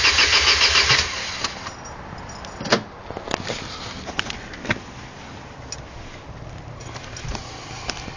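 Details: Vauxhall/Opel X16XE engine: about a second of steady cranking that never catches, then scattered clicks; cranks but won't start.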